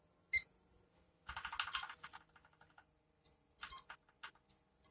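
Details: Seagate Expansion desktop external hard drive, not detected by computer, makes faint irregular high chirps and short beeps without spinning up steadily; mechanical failure suspected, freezer and other revival tricks later failed, platter swap in clean room deemed only hope.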